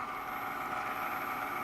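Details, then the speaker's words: Sim2 Domino D80 projector after bulb replacement, running with top off: constant airy rush with thin steady whine from the lower lamp fan, likely heat-cooked, may quiet after running; noisy cooling fan. "the bottom it's that lower lamp fan not entirely uncommon either thing does get cooked probably quiets down after it runs for a bit"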